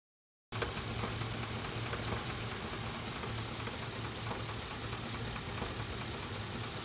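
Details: 5.3 Vortec V8 idling with a deep, steady knock in time with engine rotation; owner suspects rod knock and mentions blown head gasket, not confirmed.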